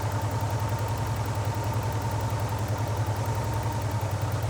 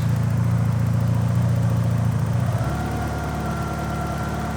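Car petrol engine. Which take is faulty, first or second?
first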